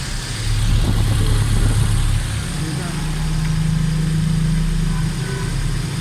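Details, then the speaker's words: 2020 Suzuki Swift petrol engine after head gasket replacement with a genuine gasket, timing reset and AC belt replaced: steady, even low idle hum with no knocks or misses; engine runs smoothly. "बिल्कुल जबरदस्त smooth बिल्कुल गाड़ी engine सांड बिल्कुल जबरदस्त है"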